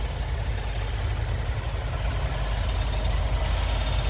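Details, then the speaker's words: 2013 Chevy Impala, about 153,000 miles, idling with the hood open, oil dark but at a good level: steady even low rumble, no knocks, ticks or whine; normal idle. "Take a listen. It is really quiet. No abnormal noises."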